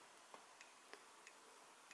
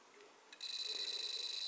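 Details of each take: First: Amiga 1200 rev 2B motherboard with a red RGB fault: an audio logic probe on the DAC side of a failed 68-ohm resistor gives only a few faint ticks, about five in two seconds, over quiet hiss, while the Lisa side has pulses. Hardly any signal gets through. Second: Amiga 1200 rev 2B motherboard: an audio logic probe on a neighbouring good red RGB resistor goes from silence to a steady high pulsing tone with fast even warble, the normal Lisa video signal, unlike the failed resistor.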